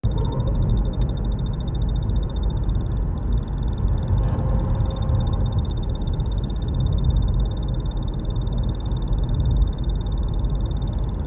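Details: BMW G30 while driving: quack-like squeaks and a thin steady high whine over road rumble; squeaking also occurs parked with engine off after a drive; cause unknown.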